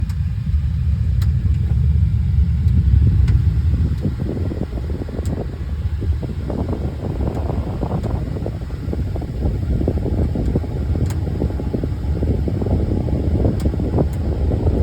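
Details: House central air main return duct in living room, cooling mode only: sharp scattered pops over steady air rush; seems to come from the drip pan, owner suspects thermal expansion/contraction; two technicians failed to fix it.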